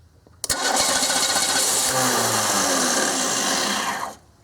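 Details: 1995 Oldsmobile 88, 3800 Series II, crank no start: starter churns evenly for about three and a half seconds without catching; fuel and spark present but no fuel delivery, computer/control problem suspected.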